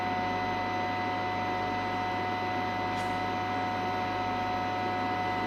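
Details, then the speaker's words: Valhalla 2703 AC voltage calibrator under repair: a constant high-pitched whine over a low mains hum; the high-voltage output, which normally drops to standby quickly, stays up. "can hear it whining, and it hasn't dropped out yet. So that's interesting."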